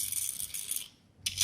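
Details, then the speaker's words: Induction motor being rewound, starting coil energised for a magnetising test: thin metal strip chatters in quick bursts against the winding, the expected sound showing the coil magnetises properly and the winding is sound. "यह vibration check करने के लिए इस type से आवाज आना चाहिए जो आवाज आ रही है मेजर बन रहा है इसलिए इस टाइप से आवाज आना चाहिए"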